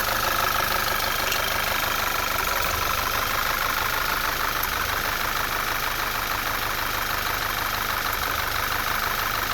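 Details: 2010 Audi A4 2.0T after high-pressure fuel pump replacement, fuel smell in oil, oil change pending: idle with uneven stumble about three beats a second; still misfiring, cause unconfirmed (dirty oil or possibly stuck-open injectors suspected).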